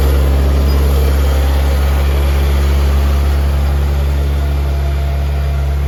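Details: Honda K20Z1 (Type S) swapped into a Mitsubishi Eclipse, first crank and first start with ECU newly wired and two check engine lights (IAT, O2 sensors): steady, even rumble with no knocks or misses, idling a bit high; coolant not yet added.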